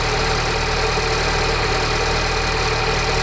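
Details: Peugeot RCZ THP 200 at cold start idle: loud dense metallic rattle over the engine note, steady throughout; persists despite new tensioner, timing chain, sprockets and guides, source not identified.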